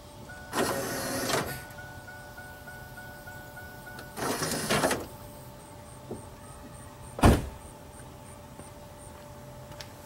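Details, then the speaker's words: 1997 Pontiac Firebird pop-up headlight motor after repair with a gear repair kit: two short even whirs as the lights cycle, no more grinding; the grinding had been caused by two missing teeth on the gear. "most notably is no more grinding sound sweet just two missing teeth on that gear caused that issue"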